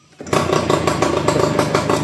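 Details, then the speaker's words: Yamaha F1ZR two-stroke after seized/locked engine repair with one-way starter clutch removed: one kick starts it straight away, even idle, no knocking or clatter; healthy. "Enak, engkol sekali langsung hidup. Dan mesin juga halus, nggak ada kemelotak atau apa wes."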